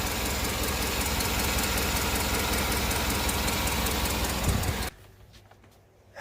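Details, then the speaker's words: Cammed Chevrolet Tahoe with DOD delete kit, tuned, after replacing exhaust manifold gasket: quick even ticking at idle tied to engine speed, airy rather than metallic; gasket did not cure it, owner still suspects an exhaust leak. "guys so that gasket was not the problem and I'm still certain it's an exhaust leak I don't want to say it sounds like metal like a rod knock or anything like that this is not it sounds like just a leak of air"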